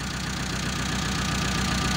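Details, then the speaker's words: Mitsubishi Colt T120 SS fuel-injected engine already misfiring, with the cylinder 2 plug wire pulled: rough, uneven idle with a lumpy low pulse and stumbling beat; the change shows cylinder 2 works, while cylinder 4 was dead. "Silinder nomor satu. Sekarang silinder nomor dua. Ada juga perubahan di sini ."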